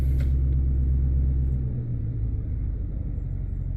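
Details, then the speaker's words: 2006 Lincoln Town Car V8 after replacing the ignition coil for a cylinder 4 misfire (P0354): deep, even idle with a steady beat and no stumble, so the misfire is gone and it idles normally. "yep no more Miss problem solved"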